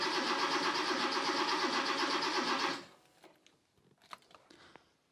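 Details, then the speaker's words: Rebuilt Porsche 911 Carrera engine, first start attempt with new sensors: even cranking for almost three seconds with no firing; crank reference and mark sensor connectors were swapped, and it started once they were switched. "Nope, it doesn't sound like it is firing. Okay, I've just switched the crank and mark sensors, so let's see if that does it."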